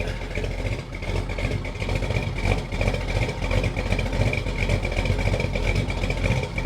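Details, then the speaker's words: 1976 Chevy Nova, first start after new headers and exhaust pipes, with residue burning off the headers: steady, lumpy low rumble with a loose uneven beat, running very rich (fat). "Running really fat. Sounds pretty good. Look at all that stuff burning off those headers."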